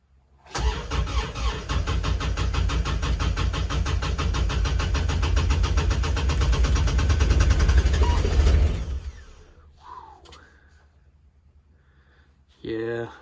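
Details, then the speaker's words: Kubota RTV900 diesel at -8°F: steady starter cranking at about four compressions a second for eight seconds with no firing. It almost caught. Owner suspects leftover summer fuel gelling; battery strong. Cause unconfirmed; won't start. "trying to think if i've actually got mixed fuel in this puppy this may be a problem thankfully my battery's pretty awesome"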